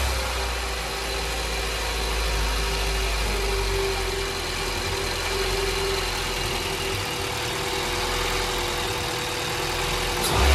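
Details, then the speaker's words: Honda Integra with LS-VTEC conversion after fitting a new homemade gasket at a leak: steady even idle, no longer rough or bouncing, and no longer dropping rough after revs. "so it sounds much better the idle's not really rough now it's not bouncing around everywhere"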